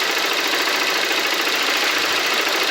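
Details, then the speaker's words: Motorcycle engine after repair for a top-end timing-chain noise (suspected broken rocker), with a new actuator fitted and sealed with silicone: steady, even idle with a smooth hiss and no rattle. The noise is gone. "vou estar fazendo funcionamento aqui da motoca aqui para você escutar o motor barulho dela não tá mais defeito só era mesmo"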